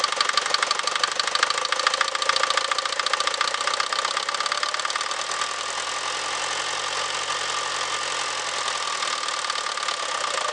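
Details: Mercedes Vito 110D 2.3 TD OM601 diesel at idle: steady fast knocking, about two per second, sharply over the idle; engine knock, cause not determined.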